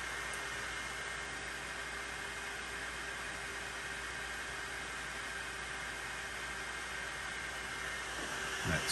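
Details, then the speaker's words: Anycubic Kobra 2 Max 3D printer during calibration after upgrade to a Noctua fan with 24V-to-12V step-down converter: soft steady airy hum with faint constant tone, no rattle or whine; much quieter than before. "but you can still hear how much quieter it is than what it was before listen for a second and if you have a cobra 2 max you'll probably want to do this upgrade as well"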